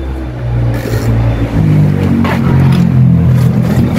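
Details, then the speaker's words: 6 kg top-load washing machine after gearbox replacement (previously noisy even empty), same belt refitted: steady low motor hum with no grinding or knocking, the gearbox now quiet. "Hindi maingay walang ingay Ang gearbox to hindi na maingay"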